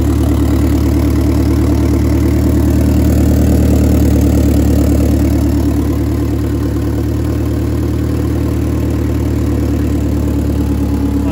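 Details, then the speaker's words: 4G63 DSM at first start after repairs and a new exhaust gasket: even idle with a light, quick puffing tick about three per second on the exhaust note. An exhaust leak remains. "there's still an exhaust leak which kind of stuck that's from over"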